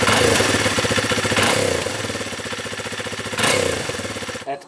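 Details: 2020 Kawasaki KLX 230R single-cylinder dirt bike with its automatic high idle replaced by a manual idle adjuster, thumping at a steady, even idle set to a normal low speed, possibly changing as it warms up.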